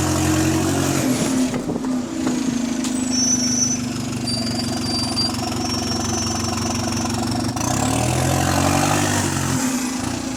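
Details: GAL SE152 bus on route 386: steady diesel drone with a rough, chuffing edge that swells as revs climb and settles again; exhaust leak.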